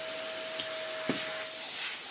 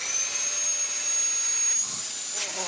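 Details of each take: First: Worn, well-used Dyson DC19 T2 cylinder bagless vacuum in for a full refurb, first switch-on before any work: a thin, strained high-pitched motor whine with an airy hiss, running but unable to produce enough airflow; low suction. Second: Dyson DC19 T2 Animal after its shroud was cleaned and its hose washed, tested with the bare hose end: a strong, steady high-pitched motor whine with hissing airflow. Suction is normal and powerful.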